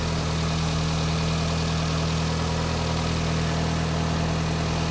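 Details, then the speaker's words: VW Mk5 2.0T FSI EA113 engine with a straight-pipe exhaust, just after repairing the oil pump drive chain; it made an awful racket until oil pressure built, then settled into a smooth, quiet idle with no knocks. Normal idle. "Now I'm hoping you guys can hear that, but it's purring like a kitten. It's real quiet. And for a car that has a straight pipe, that's pretty good."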